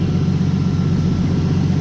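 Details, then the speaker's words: BMW six-cylinder after repair of a no-start with engine noise using new parts: smooth, even deep rumble with no knocks, ticks or misses; engine running healthy. "Bueno chicos, escuchad cómo suena, que suena todo redondísimo y por eso me encanta este motor."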